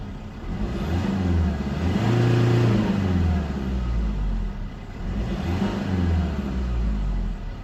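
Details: 2005 Mercedes C220 CDI 2.2 150 hp diesel with engine warning light in limp mode capped at 3500 rpm: revs climb and fall back twice against the ceiling, tinny rattle as turbo spools down.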